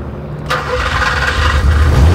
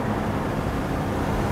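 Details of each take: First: 39-year-old car, hot after driving, restarted at idle after engine died twice while pulling in, with an O2 sensor warning light that is now off; brief crank, catches and settles to steady low idle without misses; stalling cause unknown. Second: Porsche 928 V8 driven at unhurried speed on a road trip: deep, smooth, even V8 rumble under steady load with road noise behind it; engine healthy and strong.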